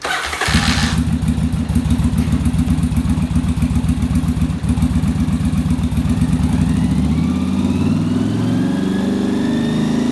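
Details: Yamaha Virago V-twin fired up with fan cooling, held at rpm to check center link carb sync; lumpy even idle then revs climb smoothly and settle; cylinders balanced, little adjustment needed.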